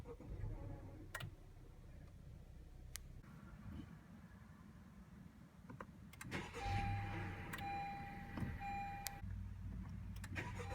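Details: 2016 Honda Civic EX-T sedan: rough, raspy grinding rises as the engine cranks and catches at start-up, twice over, with a dashboard chime.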